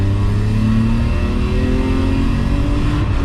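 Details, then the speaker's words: BMW E34 535i manual on its first drive, pulled to redline in second under full throttle. The note climbs smoothly with no stuttering or miss, a healthy pull. "yep all the way no stuttering all the way in third"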